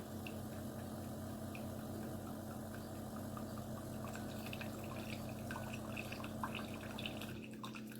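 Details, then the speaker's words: Chefman single-serve K-cup coffee maker with 40 oz reservoir: steady low pump hum with water gurgle for several seconds, then abrupt cut-out; brew cycle shuts off early leaving water in the reservoir, and later won't start. "And that fast, it shut off. But, you see how much coffee I got? Yeah. Oh, that water's still in there."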